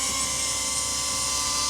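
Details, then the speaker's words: DJI Avata 2 drone on newly fitted Master Airscrew propellers, hovering in light wind: a high buzzing hover with a thin, steady whistle or screech on top; owner unsure of the cause, says it sounds like something rubbing a little. "I hear the screeching sound though, like the whistling. I'm not sure what that is. Like it sounds like something's rubbing a little bit."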